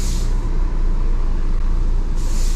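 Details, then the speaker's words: 2008 Mini Cooper that would not accelerate, DME internal fault: petrol engine misfiring badly, running rough and lumpy at idle and when revved, with no stored codes and check engine light off. "cómo le haces está fallando muchísimo muchísimo ok no hay códigos"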